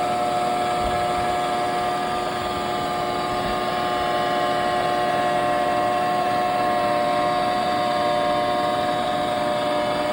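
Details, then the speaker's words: NordicTrack 1750 Commercial treadmill (model ntl14129.9, from 2020, about four years of use) hums with a loud, steady droning tone; owner suspects a worn front roller bearing, likening it to a car wheel bearing, and replaces the bearings. "as you can see it's really loud and it's really obnoxious and uh it's definitely not not good so what I thought it was listening to the sound and I've had that same sound on a one of my Audi and it was the wheel bearing"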